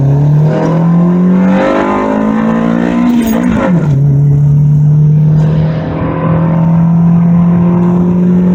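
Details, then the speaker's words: Honda VTEC engine with stock cam gear and distributor fully advanced, road test after fixing a bolt that stopped VTEC engaging: hard pull, climbing pitch, quick drop on upshift, sharp top end; VTEC now engaging, sounds like a B-series. "VTEC sounds really mean it almost sounds like a B series VTEC"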